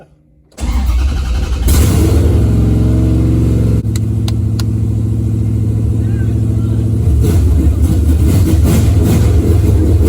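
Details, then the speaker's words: Hemi swap car with XFI engine management, fuel pump triggered from main box: catches after short crank into loud lopey idle with steady deep rumble; normal start and idle. "Bam! We got her. She sounds like a top fuel car!"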